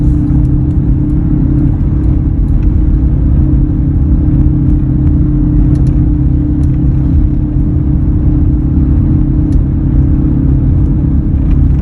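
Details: 2003 Ford F-150 while driving: steady low hum under constant road rumble, an even drone with no knocks; humming noise, source not pinned down, could be a number of things.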